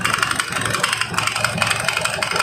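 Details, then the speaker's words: Carbureted Honda Beat scooter, CVT cover removed, engine idling: harsh fast metallic clatter, rougher once opened, from a slipping belt and worn pulley parts in a very wet, oil-soaked CVT needing cleaning. "Nah setelah dibongkar suaranya makin kasar seperti ini ya teman-teman"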